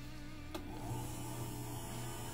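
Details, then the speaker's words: Marantec garage door opener that would not close, after realigning the safety sensors, run from remote then wall button: steady, even motor hum with smooth low drone, no grinding or clunks; normal operation. "hey the remote works we can hear the machine running here's the wall button let's try it perfect"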